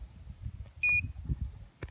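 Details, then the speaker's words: Irrigation pivot three-phase motor tested with power off by meter continuity at the terminal board: one short high beep on one winding pair, other pairs silent; open winding, motor must be replaced. "así que cuando hacen eso que algunos funcionan y otros no no tienen continuidad pero lamentablemente es el motor"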